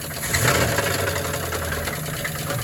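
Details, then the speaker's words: 1978 Pontiac Catalina V8 running with belts off; quick, light knocking over a rough engine note; suspected connecting rod, possibly a bearing or valley component, not confirmed. "the noise will get louder as you get a throttle usually hear that that's either a stunned bearing a certain thing or something in the Valley Stream I think it's connecting rod though"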